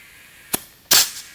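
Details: Tire being reinflated on its rim after dismount/remount with lubricant on the bead, bubbling heard first; two sharp, loud pops about a third of a second apart in a quiet room as the bead snaps onto the rim.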